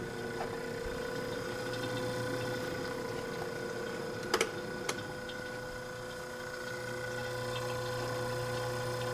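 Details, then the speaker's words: Vintage splash-lubricated Westinghouse fridge compressor running fully cold at 2.4 A and 159 W, condenser warm top to bottom. The smooth steady hum has soft even ticking and no knocks; the compressor is healthy. "nice splash lubricated westinghouse 2.4 amp 159 watts the condenser is warm all the way from the top to the bottom"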